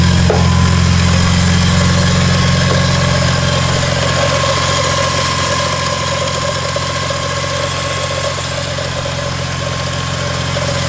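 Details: BMW E46 M3 after new spark plugs, ignition coils and valve cover gasket for a misfire, started on a weak battery: loud idle with a fast, even metallic rattle turning with the engine; ratchet and socket left on the crank pulley.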